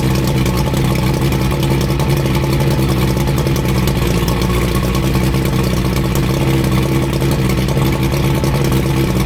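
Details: 85 hp Evinrude outboard on a water hose after new head gaskets, new spark plugs and tightened hose clamps, after earlier overheating: steady, even drone with no knocks, misses or surging; normal running.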